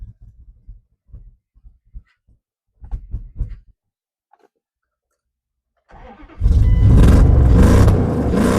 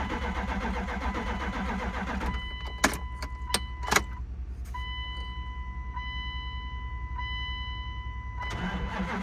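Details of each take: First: 1998 Dodge Durango, sat over 10 years: short cranking bursts, then catches and settles into a strong, even run with no knocks, misses or rattles; good oil pressure, idling well. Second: 1998 Dodge Durango, sat over 10 years, on jumper cables after the fuel pump was heard running: starter cranks in bursts with clicks and a steady chime, engine won't catch; owner wonders if injectors are firing.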